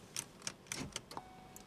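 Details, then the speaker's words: 2003 Pontiac Grand Am GT coupe power door lock actuator: a few sharp clicks from the passenger-side actuator while this door's actuator does nothing. Failed door lock actuator, likely needing replacement. "you can hear the passenger one worked but this one doesn't do anything so i think that has to be changed out"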